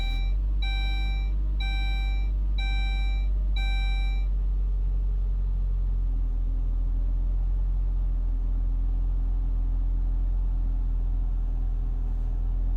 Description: 2002 Saab 9-3 SE cold start rough idle, stall.